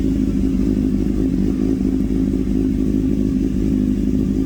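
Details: Engine after carburetor cleaning and adjustment that fixed its idle and misfire problem: even, steady note with a clean firing rhythm and no stumbles or misses; running healthy now.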